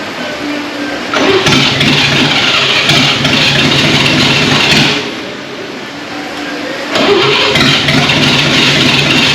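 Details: 1939 GMC COE 4x4 six-cylinder, started for the first time in 60 years; it surges and stumbles, firing on only two to four cylinders. The cause is not yet known, with timing suspected.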